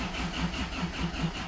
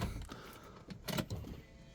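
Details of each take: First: 2005 Hyundai Trajet 2.0 CRDi diesel that was cutting out while driving and is hard to start: steady starter cranking, about five compression pulses a second, never firing; pump audible, owner suspects the injectors. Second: 2005 Hyundai Trajet 2.0 CRDi diesel that is hard to start and cuts out while driving (owner suspects injectors): at key-on a few clicks, then a low, steady hum as the fuel pump primes and runs normally.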